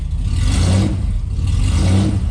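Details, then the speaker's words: 1991 Ford Scorpio 2.9 V6 Cologne, after restoring the 12V injector supply: the engine picks up smoothly through throttle blips, held by hand with the idle air control valve unplugged. It seems to be running on all six cylinders and the ignition leads okay. "much better we still got that intake air control valve unplugged you know so I have to hold uh the gas pedal here but other than that I think we're golden I even think it's running on all six cylinders"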